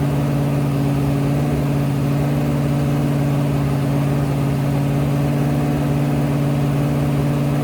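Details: Rebuilt 426 Hemi crate V8 (new heads, intake, pistons) on a run stand during flat-tappet cam break-in, about 15 minutes in at roughly 210°, 50 psi oil pressure: steady, even fast-idle drone, no ticks or knocks; healthy.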